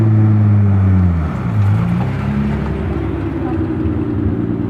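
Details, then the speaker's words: Nissan 300ZX after replacing the fuel pump with an Airtex unit: drive-by, steady even engine note dropping in pitch as it passes, exhaust pops; runs healthy with no misfire. "she's running good [Music] you can see the fuel pump is working sounds good too when you pass by you can hear the exhaust pop"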